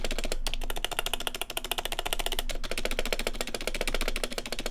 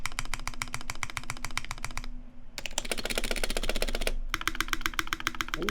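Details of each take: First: Fast uneven typing on a prebuilt keyboard (e.g. Ducky One 2 Mini, Corsair, Logitech type) with stock stabilizers: hollow, tinny clack and a loose rattle on the bigger keys; stabilizer rattle. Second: Custom Taeha Types x TGR keyboard, brass plate, GMK Olivia keycaps, Vintage Black housings with Nixie stems lubed with Krytox 205g0, 72g springs, lubed and clipped GMK screw-in stabilizers: fast, crisp, even keystrokes about four per second, no stabilizer rattle or ping; healthy.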